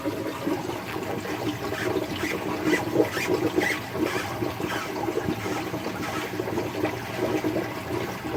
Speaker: did you hear that that big bubble just purged there must have been a bubble trapped in there somewhere it will Purge by itself but usually you will hear like a big clunk and then all of a sudden the bubble go go right now